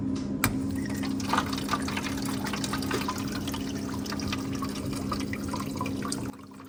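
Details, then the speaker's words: Whirlpool refrigerator not making ice, water valve test calling for water with a tape-wrapped paper clip, door closed: steady low valve hum under water rushing into the ice maker mold, then a clean stop; valve fills normally. "So, this test checks your water valve. As you see, water went into the ice maker."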